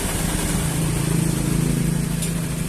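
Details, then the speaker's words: Carbureted Honda Vario scooter, normal at idle but at light throttle: uneven, wavering buzz that sounds held back with weak initial pull despite carburetor repair and spark plug replacement; ignition misfire from a faulty CDI. "Tetapi kalau misalkan diakukan kan gas Ya seperti ini Gas pelan nah tenaga pada bagian mesin itu seperti tertahan"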